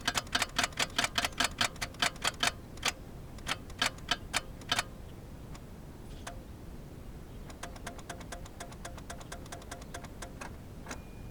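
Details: Geo Metro at 65°F, jump boxes and starting fluid used: quick bursts of sharp ticks, two or three a second, with no cranking; clicks but won't turn over; owner fears a bad starter, cause unconfirmed.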